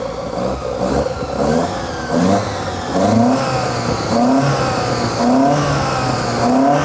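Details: Sigma on its first decent run after a custom exhaust was fitted from the headers back, choke in use: revs climb and fall unevenly with a hollow, coughing edge on each blip, the carbs running lean.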